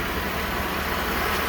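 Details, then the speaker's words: Mercedes W124 300E with M104 six-cylinder, idling after the original early-90s biodegradable engine wiring harness was replaced with an updated one: even, steady low hum with no misses, stumbles or hunting; idle is silky smooth again. "this uh does seem to be idling smooth up again so that's that's the issue that i had yeah i can't even feel the engine running right now it is back to being silky smooth again"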